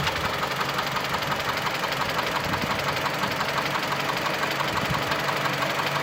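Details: Mitsubishi Lancer X 2.0 (4B11) knocks constantly at idle, cold and hot: a steady, rapid tick near three per second. The ringing knock disappears with the air conditioning on, returns when it is off, and partly fades at higher rpm. Cause unknown.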